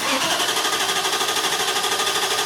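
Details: 2002 Infiniti Q45 4.5L coil-over-plug engine cranking with no start and no spark, quick even cranking pulses with no catch; scan shows no RPM signal, P0335, fixed by replacing the failed Hall-effect crankshaft position sensor.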